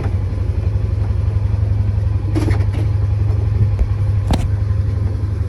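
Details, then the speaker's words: Polaris Ranger 900 XP side-by-side, previously hard starting with loud motor noise, on test drive in gear: steady low engine drone, no ticking or chain rattle, few passing knocks; sounds way better, normal running, fan expected at 200°F. "it sounds way better let's see what the temp's at I guess we'll see if the fan comes on and everything it should come on at 200 and bring it back down to 180 but yeah I think this thing's running great"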